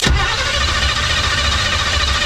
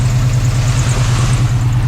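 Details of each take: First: 1980s Chevy C10 V8 truck revived after 20+ years sitting, cranking on its old Quadrajet carburetor: the starter churns with sharp pops cracking over it as it tries to catch; backfire while cranking, and the carburetor is to be replaced. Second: 1980s Chevy C10 truck revived after 20+ years sitting, gauges dead, idling as the upper radiator hose warms: steady, even low rumble with no knocks, ticks or stumbles; normal warm-up idle, and oil pressure is assumed since it hasn't locked up.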